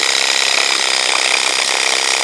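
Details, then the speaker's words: WaterPik WP-360 water flosser, tired with low pressure, pump seems to stall: fast rasping buzz from the plunger pump, labouring and uneven as if about to stall; likely a dry plunger needing lubrication, lubricated unit runs better. "what's happening there the plungers going in and out of this unit and that's typically what needs to be lubricated"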